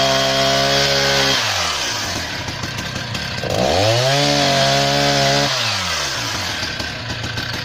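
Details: Husqvarna 480 CD chainsaw on its first tank after a full rebuild with new OEM piston and cylinder; clean high rev bogs smoothly into each cut and recovers crisply, no misfire or rattle. Normal running under load.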